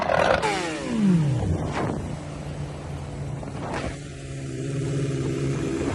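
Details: Motorcycle, single engine blipping up and down with a couple of sharp cracks from the exhaust on rev drops; misfire popping.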